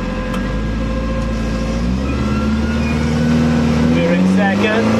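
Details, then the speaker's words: Commer van with 2.3 turbo, new in-tank pump, about 10 litres fuel, driving uphill on high boost: uneven stumbling beat under exhaust drone; misfire, owner unsure if low fuel. "on the way to the petrol station I had a misfire now maybe that misfy is nothing to do with you or maybe it was low on you I don't know"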